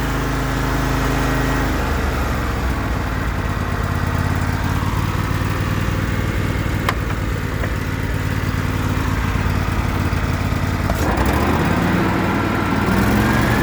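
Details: John Deere L130 mower after replacing the deck bearing housing with failed bearings: engine and blades run at a steady even drone with no squeal or bearing grind; repair fixed it.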